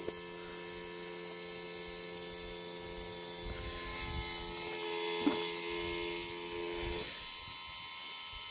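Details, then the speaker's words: 1984 Dodge Mini Ram van parked about 25 years, electric fuel pump temporarily wired: even hum and thin hiss that never loads, pump running dry and not priming; suction line was stuck until blown through. "It's not pulling anything. That was stuck. I blew through it and now I can hear it bubbling in the tank."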